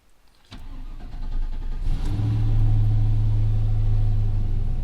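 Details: GMC Sierra, 4.3 swapped to 5.3 V8, cold start at 48°F outside after new tune cured earlier misfires: quick crank, catches cleanly, settles into smooth even idle without stumble or miss; battery light flickers, suspected wiring harness issue.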